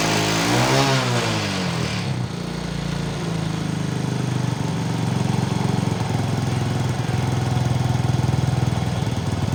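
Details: Motorcycle after repairing a stripped spark plug thread in the cylinder head without engine removal, loose exhaust clamp bolt earlier found: starts straight away and settles to a steady even single-cylinder idle with no knocks or misses; normal running.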